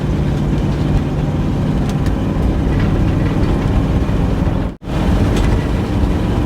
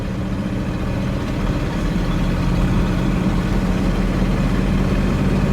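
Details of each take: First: 1962 Cadillac Sedan DeVille with a Jetaway automatic, pulled from a New Mexico desert: heavy engine drone revving high with no shift drop, transmission not upshifting because the throttle linkage is misrouted (linked backwards). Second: 1962 Cadillac Sedan DeVille with a Jetaway automatic, pulled from a desert, after diagnosis: steady low engine drone rising gently under load, no flare or clunk; shifts slow but all gears work, normal shifting.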